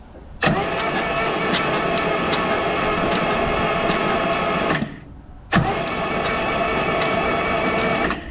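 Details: 1971 Chevrolet XM75/M705 military prototype truck, not run in years, water found in one cylinder: two long, even cranking runs with steady turnover rhythm but no firing; cranks freely yet won't start, no spark.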